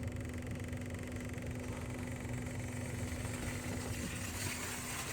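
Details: 2011 Kia Soul 5-speed, noise started a day earlier: steady idle rumble with a constant droning tone; muffler pipe and engine seen shaking, mounts look fine, cause unknown.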